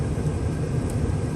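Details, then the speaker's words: 1980s GM G-body HVAC blower on max with the key on, after a no-airflow fault traced to a disconnected cable from the cigarette lighter harness. Even, steady rush of air with a low motor hum, no ticking or squeal; normal blower operation at max speed. "i know you can probably hear the airflow but you can't really see what it's doing so key is switched on it's on off right now we're going to switch it to max"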